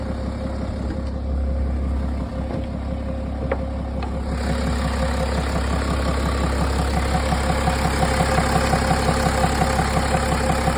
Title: Bmw 330d N57 knocking Sound Engine??